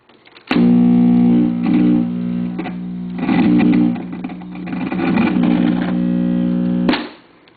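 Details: Webcor model 2711 reel-to-reel tape recorder (tubes: two 12AX7, one swapped for 12AU7, 6X5 rectifier, two 6V6) after recapping with new electrolytics: loud steady low buzz starts as play engages and holds one pitch; extreme playback hum, cause unknown.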